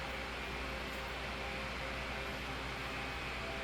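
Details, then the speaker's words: 2007 Holmes 12-inch desk fan HDF-1209, cleaned and serviced, on high speed: steady, even strong whoosh of air with no rattle, tick or rubbing, sounding like a blizzard fan; normal running. "yeah not much not much difference there in airf flow it's almost similar and that's a it's the same thing with the high speed really sounds like a blizzard fan here yeah not really bad"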